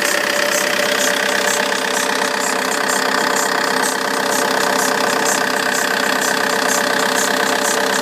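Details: Vauxhall Insignia 2.0 CDTI (59 plate) diesel at cold-start idle: a fast, even ticking chatter around four per second on top of the idle, from the alternator side. It goes away once warm; belt, pulley or tensioner is suspected.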